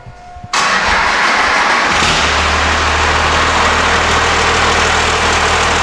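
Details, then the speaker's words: 12-valve Cummins diesel with stage 3 injectors and a big turbo, after P-pump timing adjustment: short crank, catches at once, steady even idle with no misses; a small pop under hard acceleration, possibly fuel supply. "I'd call that a win, hey? I think so."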